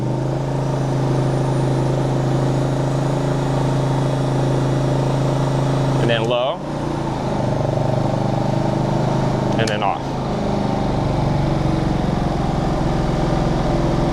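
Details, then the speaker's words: Generac GP3300i generator (model G0071532) after repairing its won't-shut-off fault, running a heat gun as load. It holds a steady, even drone that shifts slightly as the load switches on, with no surging or knocking; working great. "everything appears to be working great so I'm going to go ahead and shut this down and we're good to go"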